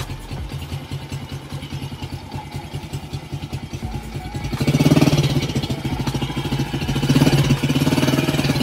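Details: 2003 Honda Wave Alpha 100cc, first start after overhaul for a loose countershaft transmission bearing: even single-cylinder putter at idle, a couple of throttle blips settling back; quiet, smooth, healthy engine, only the loose handlebar is slightly noisy.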